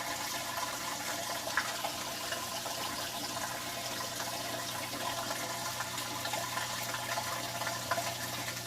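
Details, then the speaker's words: Maytag Bravos XL high-efficiency washer draining for the first time after a full wash fill: steady low pump hum under rushing, splashing water as tub empties; drain pump working normally. "now it's the first time it's draining the water out got nice and full water did a really good job of adjusting those clothes around you can hear the pump running"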